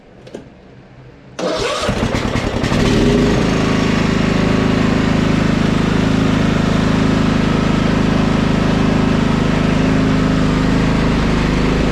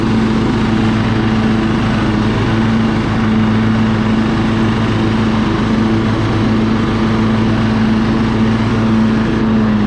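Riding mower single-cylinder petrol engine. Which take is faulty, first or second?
first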